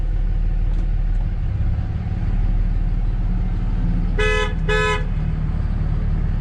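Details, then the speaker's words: 2006 Dodge Ram 2500 Cummins diesel 4x4, first drive after rollover, radiator and power steering hose replaced: two short horn blasts over steady idle; owner believes computer doesn't see poorly closing door as shut. "So one thing that I've been, hear that honking? Obviously the door doesn't really slam that good, but I believe that is because the computer doesn't see that the door is closed."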